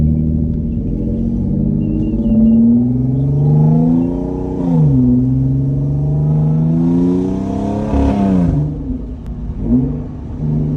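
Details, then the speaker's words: Rebuilt Audi S5 under acceleration: strong pulls up through the revs with clean shifts and throttle blips on downshifts, smooth even pull and no knocks; engine runs normally though the transmission reportedly shifts a little weird. "That sounds just like a GTR, bro. This thing's crazy. I love the downshifts."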